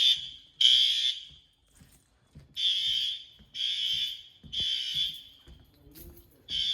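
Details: Fire alarm test at pull stations in an old 1948 school: loud shrill high-pitched horn blasts about a second each with short gaps, strong and consistent; sounder working normally.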